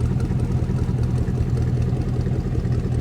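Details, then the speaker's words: Square-body Chevy Suburban with a newly swapped SBC 350 V8, first start: a smooth, quiet, even idle with no ticking or knocking and excellent oil pressure. It is running rich, untuned since a spacer was removed, and something is on the wrong pulley. "Oil pressure is excellent. This thing does idle really nice. Listen to this."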